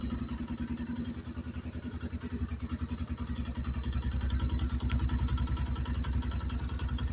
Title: 2024 new xpro knight dlx 250 engine knock